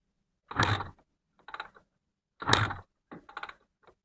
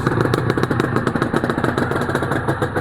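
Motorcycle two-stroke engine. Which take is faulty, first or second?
first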